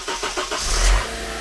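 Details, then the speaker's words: Car cold start after parts were replaced to fix a noise. A few quick cranking beats, then it catches cleanly and settles to a smooth idle with no rattle. The start is normal, though the owner will check the next morning whether the noise is gone. "okay so that's right now sounds good like i said cold start so we'll see what happens in the morning"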